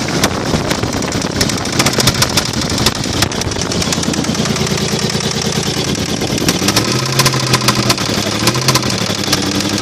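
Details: 1995 Toyota 4Runner 3.0: sharp repeated metallic knocks keeping pace with engine speed, a connecting rod loose from the crank; rod knock.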